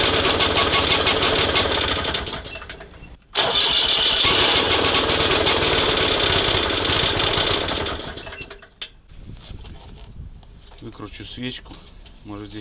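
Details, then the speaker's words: SMZ invalid carriage (motorized microcar) first start after long storage: steady cranking about three beats a second, never catches, then dies away; spark plug flooded, spark good, ignition timing set at TDC instead of 3–4 mm before; no start. "кая а свеча залита х Ладно сейчас пальм свечу пропали хорошенько Искра валит что надо не пропадает с помощью контрольки проверил зажигание А у нас оно стоит не совсем красиво стоит в самой мёртвой точке вверху а должно быть не доходя мёртвой точки 3-4 мм"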